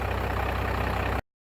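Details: Diesel truck with big batteries that were completely dead, just jump-started with a Harbor Freight Cen-Tech jump box, now at idle: steady, even low regular chug with no knocks or misses; running fine.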